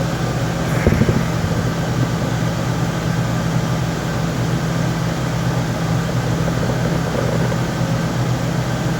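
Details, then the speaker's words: Lincoln Town Car after rear air-suspension airbag install, battery reconnected, air-ride switch back on: compressor humming up front with a steady low hum, no rattle or strain, over idling car, airing the rear up normally. "Okay, so the compressor just turned on. I can hear it humming up front. It may take a second for this to air up."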